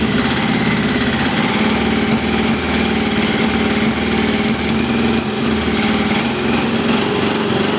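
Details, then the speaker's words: XJ650 four-cylinder motorcycle, suspected sticky valve, after transmission fluid was put in the cylinders. Rough, uneven idle with a light puffing tick from the pipes. One plug has no spark and another is weak, and there is a hole in the exhaust. "I think I had a hole in my exhaust and that sound like a sticky valve however putting the transmission fluid in there and creating all that smoke when I finally ran the engine did identify that there's a hole in the exhaust"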